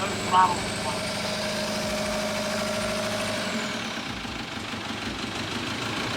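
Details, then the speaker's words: VW TDI diesel in 1950 Willys Wagon on Jeep Wrangler chassis, first start after swap: idling with uneven, hammering clatter and rough beat; injection pump timing off. "all right got it running it runs rough I think maybe kept adjust the timing"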